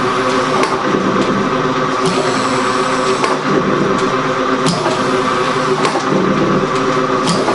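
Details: Gould & Eberhardt 24-inch heavy duty shaper (1912 patent date; owner guesses 1912–1930), newly acquired, on a test run with the tool lifter on; very quiet, most noise is from the belt. Quiet, even belt-driven run with soft clicks every few seconds as the tool lifts: normal running.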